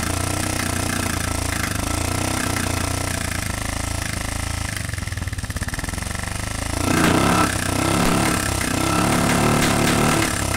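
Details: Honda TMX125 single-cylinder: runs rough and clattery with an uneven beat that roughens after a blip; worn, thinned intake valve causing backfire and noisy running.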